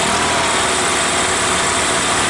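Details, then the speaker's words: EZGO Workhorse golf cart, Robin ST350 engine, cold start on choke after carburetor clean and starter change: small engine runs steady and even with a busy, high-pitched exhaust note; clean cold start, though no fuel seen flowing from the vacuum fuel pump. "sounds good doesn't it let me see how close it'll get to an idol okay TI on nice"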